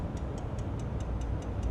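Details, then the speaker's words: 2006 Dodge Ram 3500 with 5.9 diesel, earlier worked on by others: rapid even light ticking about five per second with key on and engine off; the relay and pump quantity valve chatter, traced to loose fuse box connections. "it's just ticking. The relay's clicking. Yeah."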